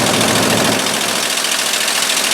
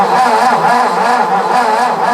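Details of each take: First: 1958–59 Ford F600 grain truck, 330 V8, long unrun, first start after the carburetor float was reinstalled. A steady V8 idle with an even, fairly quick pulse and no stumbles or misses. Normal idle. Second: 1958–59 Ford F600 grain truck, 330 V8, long unstarted, cranked with float-level screw out: steady starter whirr with even compression pulses, about four a second, never catches; no-start, no fuel reaching bowl past a likely plugged needle and seat.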